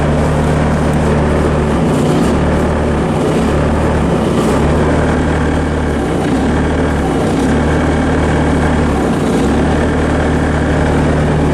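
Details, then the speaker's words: 90s Bobcat 763 C-series with failed BICS computer, bypassed, auxiliary hydraulics and Hi-Flo switched on. Diesel holds a steady drone under hydraulic load, dipping briefly now and then but recovering without bogging; healthy. "I want you to listen for the bogging of the engine on the auxiliary controls. You don't hear anything."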